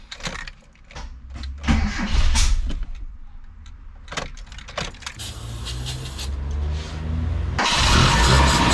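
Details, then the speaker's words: Mitsubishi Sigma with a newly fitted 32/36 Weber replacing the failed Mikuni, cranked with carb cleaner: uneven cranking with stumbling catches and misfiring bursts before it barely fires. Water is still running through the intake manifold, and the fuel mix seems lean. "So it seems that water is still running through the intake manifold."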